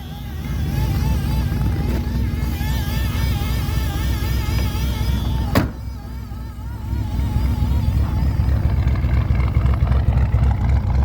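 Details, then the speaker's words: Cold start at about -30 degrees on a classic Ford after pumping the throttle a lot, with a possibly weak battery. The engine catches and settles into a steady, fast, high cold idle and runs healthily. It smells of fuel. Normal cold idle. "Oh yeah, there you go. That thing sounds bitchin'. That thing smells like fuel, but I had to pump it a bunch, so."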